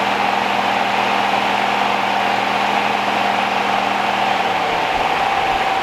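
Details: 1969 Rover P6 Series 1 3500 V8 automatic, first start after 16 years stored, on choke, fuel pump suspected dead: steady, even idle with a faint whistle on top and no tapping or rattle; quiet, tight, healthy engine.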